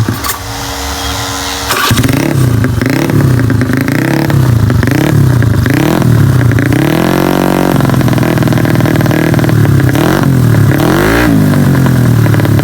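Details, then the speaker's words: Honda Beat carburetor scooter, 130 cc spec, after repair of a chipped piston ring land that caused harsh noise at high rpm: clean, smooth repeated revving with no rattle at the top; normal high-rpm revving. "Ya, suaranya sekarang di RPM tinggi enggak bunyi kasar lagi karena permasalahannya dari seharnya yang ya semplak itu ya yang bagian ringnya."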